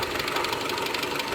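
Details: 2001 Mitsubishi Galant 2.4 4G64 at idle: fast, even, light high-pitched ticking over steady idle, a classic lifter tick; possible causes include misaligned oil pump gear at timing belt service, coke buildup or oil overfill.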